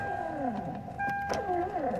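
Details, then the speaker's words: 1996 Toyota Camry driver's power window: motor whirs with steady high whine in short bursts but window doesn't move; regulator cable likely broken. "you hear the motor trying to work but it doesn't work and the window doesn't go anywhere"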